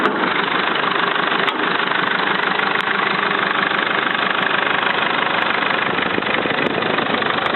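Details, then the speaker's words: Mercedes Sprinter diesel at idle: steady clatter with an even, quick ticking knock, about three a second. Heard only on the turbo side. Oil recently changed to semi-synthetic, and bad oil is suspected. Owner suspects hydraulic lifters, but the cause is unconfirmed and a garage visit is planned. "Мы сейчас проверим стук двигателя Mercedes Sprinter. Какой-то необычный стук, похоже на гидрокомпенсаторы."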